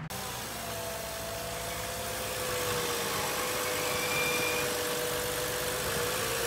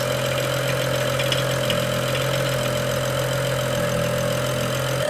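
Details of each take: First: BMW E92 335i, N55 engine, idling before valve cover/gasket replacement: thin, steady high whistle wavering slightly over smooth idle, holding pitch; weird squeal the owner believes is the PCV system, not confirmed. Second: BMW E92 335i, N55 engine, after valve cover and gasket replacement (done for a squeal believed from the PCV system), restarted after fuel pump priming: smooth, even idle, steady tone, no ticking, knocking or misfire; sounds healthy, normal idle.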